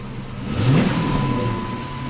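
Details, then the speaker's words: 2006 Dodge Charger 5.7L Hemi V8, cold, after new throttle body, pedal sensor and ECU failed to fix it: revs swell briefly, then sag to a shaky, hunting idle and cut out; surging and near stalling, fuel pressure being checked, cause not found. "it's like the vehicle is like try trying to stay alive and I believe it cut out"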